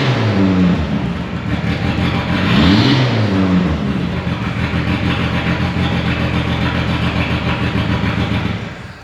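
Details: 1997 Mitsubishi Eclipse GST after an AWD swap, new timing belt, cleaned tank and new fuel pump: one throttle blip, then a smooth even idle with no knocks or misfires. Normal idle.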